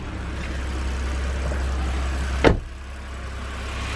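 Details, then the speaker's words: BMW N52 engine after fixing rough idle: steady low smooth idle with no hunting or stumbling, then a door thump and quieter even run. "honestly sounds perfect now i'm gonna switch the engine off"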